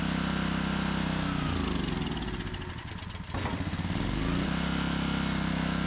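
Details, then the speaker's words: Old barn-find Generac generator, clean spark plug, tank likely full of grime: runs lumpy and uneven, surging and nearly stalling when choke is turned off; possibly no fuel in the float bowl, carburetor suspected dirty. "turn off the choke and wants to die May choke it even there might not won't be any fuel in the float Bowl"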